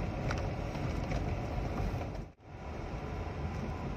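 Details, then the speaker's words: Peugeot 306 engine; steady coarse, busy clatter with low rumble, no knock or miss, rough like a sewing machine by nature, not a fault: normal engine running sound. "jadi cenderung mesinnya ini kayak mesin jahit suaranya itu kasar ya memang seperti itu bukan mobilnya yang rusak tapi memang mesinnya itu swc jadi ya seperti itu seperti mesin jahit"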